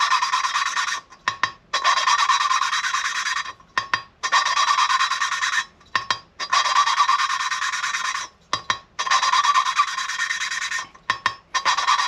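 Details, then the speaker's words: Hand-lapping a refreshed K24a cylinder head valve, with new exhaust guides and upgraded springs fitted. Even rasping strokes about every 2.5 s with pauses between turns, and smooth, consistent grit. Contact forms at the seat center, not the full cut, so the seat is forming evenly. "That is what we want. Making a contact at the center, not the whole full cut of the valve."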